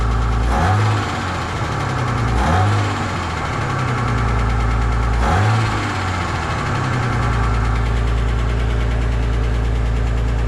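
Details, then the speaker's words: Ford EF Fairmont idling before centre-section muffler replacement: deep, loose idle with a tinny rattle and puffing blow swelling every couple of seconds; loose baffles and a hole in the muffler, clamps already around the catalytic converter. "Yeah, it definitely sounds like a hole in the muffler as well."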